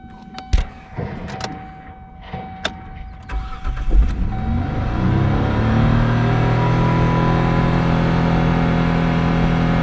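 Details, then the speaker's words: 2005 Kia Sportage that lost its brakes descending a steep pass, with a check engine light afterwards: after clicks and knocks it starts and climbs to about 5,000 rpm without throttle, steady high hum; idle running away. "That's 5,000 RPM. It's just sitting there now. It's trying to climb. Once again, not touching the gas."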